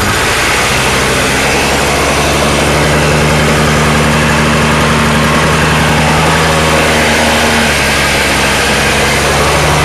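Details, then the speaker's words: Toro 2-stroke snowblower (about 20-inch), cold start after two pulls: loud buzzy idle that wavers and won't settle into an even beat; it idles rough and must be kept running with the handle back. "As you can hear, she don't idle too good. You pretty much gotta keep it going with the handle back."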